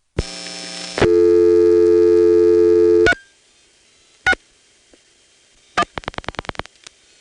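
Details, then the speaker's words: Senderized XY step exchange, Prince William County VA, 1970s: dial tone, steady tone, lone clicks, then about seven even pulses as the register sender outpulses; normal outpulsing. "so if you call the three six one exchange in Manassas the register sender here is gonna dial seven one"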